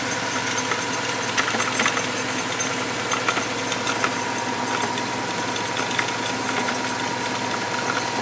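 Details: 2005 Subaru WRX at idle with a noise first heard one morning that a shop could not identify: steady idle with a light irregular ticking and rattle over it; unknown engine noise, cause unconfirmed.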